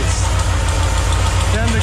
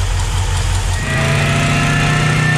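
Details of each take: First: Pontiac Sunbird with twin Eaton 90 superchargers, 10 psi boost, 10 degrees base and about 28 degrees total timing: loud low uneven pulsing idle, loading up and dying; owner thinks timing too much and backs it off; rough idle. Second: Twin Eaton 90 supercharged Sunbird (10 lb boost, needs more fuel), base timing reduced to about 5 degrees (about 20 total): blips up with rising supercharger whine, drops back to fairly even idle without stumbling or dying; running normally.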